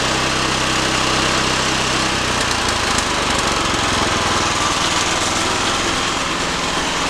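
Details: Harbor Freight Predator Hemi 13 HP 420cc OHV horizontal-shaft gas engine on a stump grinder, about 20 hours, electric start: loud busy single-cylinder roar settling after a couple of seconds, then steady without misfires; healthy.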